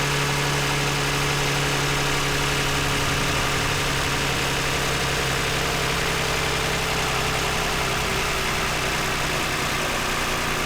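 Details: 2009 Toyota Highlander, 276,480 miles, cylinder 2 misfire with engine light; after swapping coils 2 and 4, even quiet idle hum with no stumbles or skipped beats; normal idle, runs smooth and quiet.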